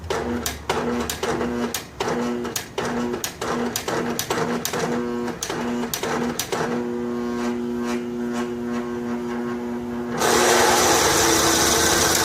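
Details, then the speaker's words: Snapper SR1433 rear-engine rider mower, sat 8 years, after carburetor rebuild, choke on: uneven ticking bursts settle to a steady hum; normal running, likely muffler deposits burning off. "Hey, it runs. Let it run for a minute. Stuff in that muffler to burn off, I think."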